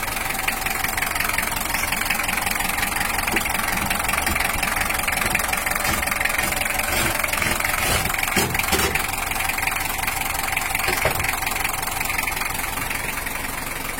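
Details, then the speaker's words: Toyota Hiace LH-11 diesel after repair of the cracked injection-pump bracket: even diesel clatter at a steady idle, no misses or odd knocks, characteristic engine sound and no smoke; normal diesel idle. "juga merdu dan sudah mengeluarkan suara ciri khas dari mesin tipe lo untuk Toyota Hiace"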